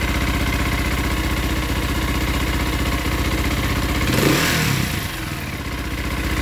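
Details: Motorcycle at choked idle: uneven idle, about four pulses a second, with light clatter; bearing-like whir heard with clutch engaged that disappears when clutch lever pulled in; cause unknown, clutch believed not stuck.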